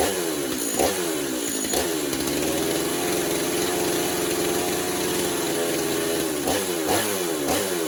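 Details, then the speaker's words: Stihl MS250 chainsaw run after a drum sprocket install with the bar and chain re-tensioned and low fuel. Steady high two-stroke buzz with brief throttle blips, and the clutch operates normally. Normal running. "We're going to fire it up, make sure it's operating like it's supposed to. There's no issues with the clutch."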